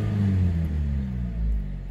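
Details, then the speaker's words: 2004 Chevrolet Malibu 2.2L Ecotec after replacing upstream oxygen sensor and engine: revs to about 2000 rpm, then fall smoothly below 1000 with no hesitation or jitter; downstream sensor not needed; normal rev and return to idle. "down below 1,000. There is no hesitation. There is no jitters. So perfect."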